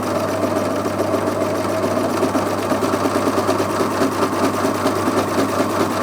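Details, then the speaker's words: Brother Airflow 3000 overlocker sewing thick doubled fabric with the knife locked out; rapid, even needle chatter at steady speed with a slightly laboured motor hum as it works harder; normal running under load. "And you can hear that that's working slightly harder, and it will because it's thicker fabric in there."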